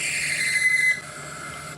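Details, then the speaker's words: 1973 Hardinge chucker lathe boring cut: a high steady squeal that cuts off sharply near one second, attributed to chips being recut against the tool since no inclusions are visible in the metal; lubrication added to help. "I don't see any inclusions in that metal. So, I'm thinking that that cutting is some uh recutting of chips."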